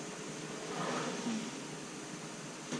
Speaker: Walang tunog. Walang kaingay-ingay.